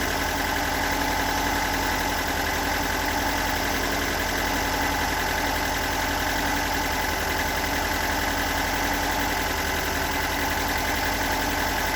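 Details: Stock unmodified bigport blue-top 4AGE in a Toyota AE86, about 195,000 km on the swapped clock, regularly maintained: uneven, lumpy rough idle with a loose arrhythmic ticking knock throughout; owner cannot locate the cause.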